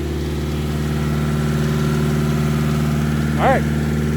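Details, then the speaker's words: Nissan S13 with SR20 after chasing a misfire with fresh spark plugs, just started, cold start phase: even, steady idle hum with smooth low beat, no stumbles or skips; normal idle. "All right, can't drive it just yet, but she sounds pretty happy. I'm not going to lie."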